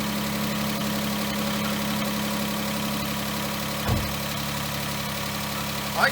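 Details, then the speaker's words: 2013 Chrysler Town & Country after water ingestion (suspected hydrolock), first run after repair: even, steady idle hum without knocking or ticking, a couple of handling bumps; oil pressure and everything sound good, a normal idle. "live with that that oil pressure and everything sounds good"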